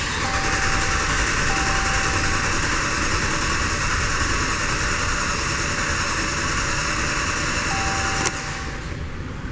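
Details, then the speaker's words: Petrol engine cranking with the pedal floored in clear-flood mode so it won't start, during a relative compression test; steady even rhythm about three to four beats a second; vehicle misfires only at idle. "if you let it stabilize and you give it after like about five seconds it sounds perfectly even"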